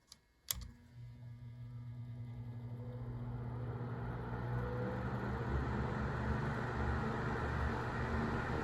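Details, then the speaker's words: 1970s Sears (Lasko) 9-inch portable fan, model 453.8100, front bearing lubricated: a switch click, then the motor hum builds to a steady low whir with no grinding; runs smoothly on low speed. "sometimes that sounds pretty cool too just going from low to high"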